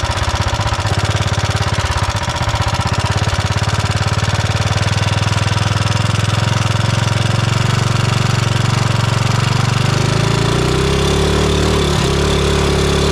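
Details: 420cc big-block engine swapped into a Mega Moto minibike, single-cylinder idling with a fast light ticking over the exhaust beat, then revving; valve train ticking from excessive valve lash.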